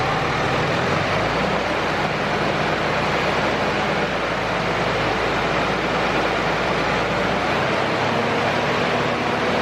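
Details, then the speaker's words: 3rd-gen Cummins diesel pickup after injector and AirDog install: steady, even diesel clatter at idle with no stumbles or missing beats, under outdoor noise; runs much better, earlier injector hang and small misfire gone; normal idle. "Alright guys, as you can tell, truck definitely does run pretty good, a lot better than it was."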